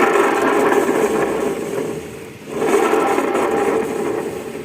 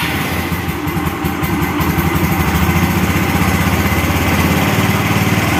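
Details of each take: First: Carbureted Yamaha Xeon scooter with a harsh-sounding CVT: gritty rasp over the running engine with no smooth whirr; pulley bearing, needle bearing and small bearing suspected before teardown; worn CVT pulley bearing. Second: Carbureted Yamaha Xeon after replacing worn CVT pulley bearings, CVT cover refitted: even single-cylinder buzz, rising slightly near the end, no grinding or whirring; CVT cover bearing found still good; normal running.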